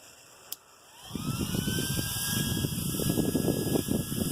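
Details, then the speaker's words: Small 30 mm RC turbo cooling fan for a Yeti, run on a AA battery pack: click, then a whine climbing quickly into a steady, even high-pitched rush of air; healthy, strong high-output fan. "this is a wild turbo fan I just got this to put in my Yeti this thing I've tried it out already it's a pretty damn good fan"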